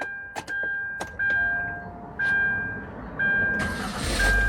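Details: 2011 Hyundai Santa Fe 2.4 four-cylinder, first start after replacing failed starter motor, still on jack stands: repeated dash chimes, then a short crank catching cleanly into a smooth run; new starter works properly.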